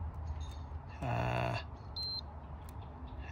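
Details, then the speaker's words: Mitsubishi L200 whose battery goes flat in about a week, drawing about 400 mA against a 50 mA maximum: amp hound probe on fuses, low hum then a changed, warbling tone on one fuse showing a drain on that circuit. "get to it there do it again okay so that one has a 50 milliamp drain on it"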